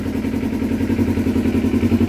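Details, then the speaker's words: 2012 Kawasaki Ninja 250R with reinstalled carbs, gravity-fed from a test tank, airbox off, no choke: an even, steady putter at idle with no misses or hunting; a perfect idle. "perfect idle didn't have to use any choke just going to let it run for a minute"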